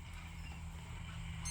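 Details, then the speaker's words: LED PAR light SMPS with fan and board losing 12 V and 3.3 V supply: over a low hum, multimeter in buzzer mode gives a steady high continuity beep across the rectifier diodes both ways; one or both diodes shorted. "এদিক থেকেও দেখুন beep হচ্ছে short অর্থাৎ এই দুটি যে diode রয়েছে হতে পারে দুটি ডায়োডই শর্ট হয়ে গেছে বা দুটির মধ্যে একটি ডায়োড শর্ট হয়ে গেছে"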